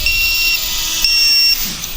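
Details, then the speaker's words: Floureon 250 FPV racing drone in flight: sharp high-pitched beeps from the low-voltage beeper cut in over the motor whine on hard throttle punches, and the tail light dims as the battery weakens: low battery voltage alarm. "looks like our batter is starting to get weak it's beeping when we punch it but not too bad yet"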